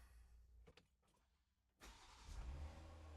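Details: Ineos Grenadier after a Genesis Offroad OMEGA dual battery install, heard from the cab: a short crank catches cleanly into a steady, even idle with no stumble or misfire, then charges the cranking battery at 14.2 volts in float mode.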